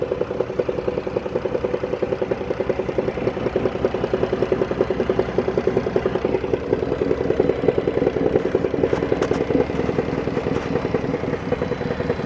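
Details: 2014 Dodge Caravan at warm idle. A quick metallic clatter at about three beats a second, most pronounced at idle once warmed up; the dealer diagnosed it and the removed flexplate was badly cracked around the center: cracked flexplate.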